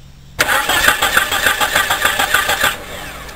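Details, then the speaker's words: Car that cranks but won't start: the starter cranks evenly for about two seconds and never catches. Spark is present at the coil and 12 V reaches the injector, but there is no fuel pressure. "me están llegando 12 vol al inyector y el vehículo no enciende Hay chispa entonces habrá que revisar la que la presión de la bomba de gasolina bien pues ya parece que encontramos la causa de que el vehículo no encienda no hay presión"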